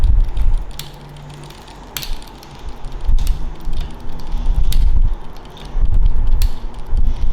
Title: Brompton clicking sound when in lowest cassette gear